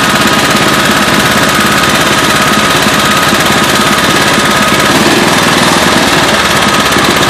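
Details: Murray small engine running hard with a rapid, uneven hammering knock, roughly three blows a second; engine knock, cause not yet found.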